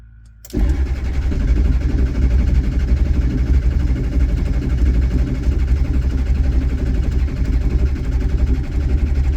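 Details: Ford 7.3 diesel after fuel filter, oil change and IPR work: steady heavy starter churn for nine seconds, never picks up into firing; cranks but won't start.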